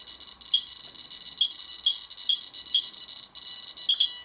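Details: QSAFE QSF-104 radiation meter held near a radioactive source alongside a RADEX: sharp high-pitched beeps, some single and some doubled, about once a second. The QSAFE alarms first while the RADEX still reads 0.1.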